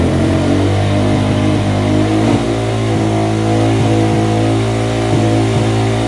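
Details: 1989 Yamaha Moto4 200cc quad after timing chain replacement, with new throttle cable: fast steady buzz that never drops to idle; throttle hanging open, cable and carb slide adjustment didn't help.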